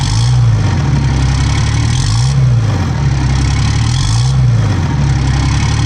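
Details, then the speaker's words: 2007 Ram 2500 4x4 dually diesel just after installing new Flux 103% over injectors; deep steady idle with slight slow rise and fall in tone, no knocking or stumbling, sounds healthy, injectors were the fix; normal idle. "how happy are you the way it sounds right now man it sounds really good oh yeah baby she's healthy she's happy injectors do the trick"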